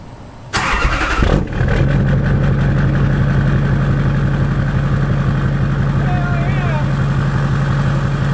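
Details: Freshly rebuilt Duramax LBZ diesel with a dual fueler, HSP piping and a Ryan's Diesel Service turbo, first start after priming oil pressure with a scan tool: short crank, prompt catch, steady even idle with no knocks or misses.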